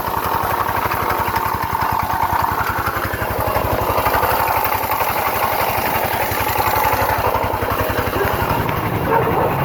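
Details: GY6 scooter with rough, gritty grinding at idle and with throttle; accelerates slowly then cuts off when ridden, later clanking and no-start; variator or crank bearing suspected, not confirmed.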